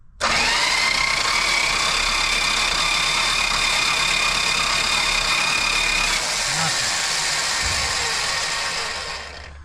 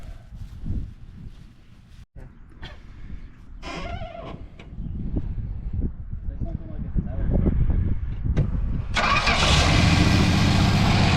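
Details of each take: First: 1970 Dodge Challenger slant six ("Leaning Tower of Power"), rat-infested: loud screaming starter whine with fast uneven churn while cranking, no start; distributor points to be filed next. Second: Rat-infested 1970 Dodge Challenger with a slant six after revival: cranking, then the engine catches and settles into a steady, even run with no knocks; dirty but sounds healthy.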